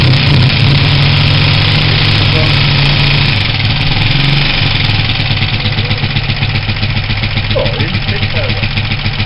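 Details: Honda CG125 Brazil rebuild, first start after fitting the tank, fuel and a new pod filter, with a weak battery; single-cylinder catches and settles to a quick, fairly regular idle putter about four beats a second; running fine.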